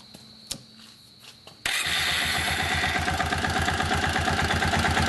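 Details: Kawasaki Bayou 400 ATV after the oil pump drive gear repair, started to check for oil at the head feed-line banjo bolt on the left foot side. Single cylinder catches straight away into an even idle, no knock; oil reaches the head, runs healthy.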